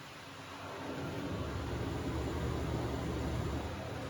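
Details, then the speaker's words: Panda 3.5 cu ft portable dryer, about 6 years old, running after the blower belt, belt foam and filters were replaced. Steady, even blower and drum whoosh with a low hum; the earlier rattling is gone. Normal running. "Rattling has been eliminated."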